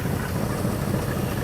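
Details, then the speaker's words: Ford 289 V8 on a Galaxie, first start on a rebuilt Autolite 2100 carburetor with an electric fuel pump: steady low idle hitting on all eight, with rapid chuffing from a busted exhaust manifold leaking on one side. "now we do have a busted manifold on this side so you may hear some chuffing it's hitting on all eight yeah it's pushing a lot of air out around that manifold"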